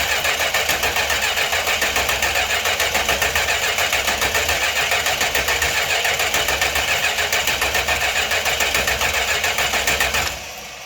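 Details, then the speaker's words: 1968 Chrysler Newport with newly installed Holley Sniper EFI and Hyperspark ignition: even cranking at about three and a half beats per second for ten seconds, no catch and no fire. "we got crank signal that no fire in the pipes yet though let's hit her once more"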